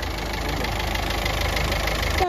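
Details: Ford EcoSport diesel with the check-engine and oil warning lights on and oil leaking all over. Rough idle with a hard, steady thak-thok knocking rattle; the teardown found a fully leaking head gasket.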